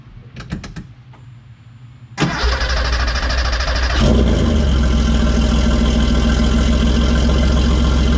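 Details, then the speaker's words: Cold start of a 1981 Porsche 930, mostly stock with a few modifications and a nice little exhaust system: short crank, quick catch, brief blip, then strong steady fast idle with deep, even exhaust beat; healthy. "so I thought maybe we'll do a little cold start action on this socker for you 1981 930 pretty much stock few little modifications a nice little rarely late exhaust system so have a listen to this"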